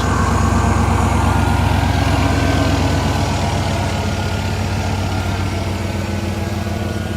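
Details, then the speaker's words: 1995 Ford F-150, non-runner now running with the computer reconnected; steady, even, clean idle with no stumble or knock, run briefly as little to no coolant. "It runs great. We can't let it run for long because it has little to no coolant."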